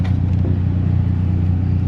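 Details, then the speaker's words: BMW 528i cabin blower with a customer noise complaint: a steady, slightly grumbling low drone with no knock or squeal; possibly debris such as leaves in the fan, or the blower motor itself going bad. "blower motor's grumbling I'm probably going to need to get to the cabin filter and look at that and it may be something in the fan"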